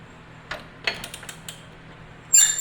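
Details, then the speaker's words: Murray 309000x8 riding mower engine, somewhat seized, oil added through spark plug hole, turned by hand with 24 mm socket: brief high squeaks around half a turn, none turning the other way; owner suspects dryness. "Hear how it's squeaking? Then it stops squeaking. And it does it when you get around to that 1/2 a turn."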